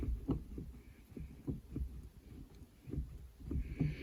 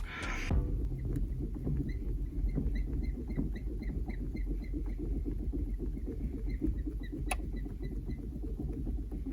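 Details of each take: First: Renault Clio 4 with 5-speed manual gearbox after its dry shift-linkage cables were lubricated: soft dull clunks as the lever moves through the gates, with no squeak or creak; shifts smoothly and quietly. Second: Rapid high squeaky chirps, about three a second, as the gear lever is worked on a Renault Clio 4 five-speed manual: shift cables run dry, old grease contaminated by road dirt and salt; lubricating the cables removes the squeak.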